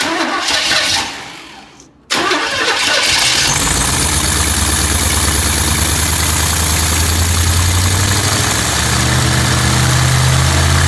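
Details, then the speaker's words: Small block Chevy of unknown history, dirt and nests blown out: starter cranks at a steady churn, about four beats a second, but it never starts; not getting fuel yet, fuel line to be checked. "No, so we're not getting Gas? fuel yet."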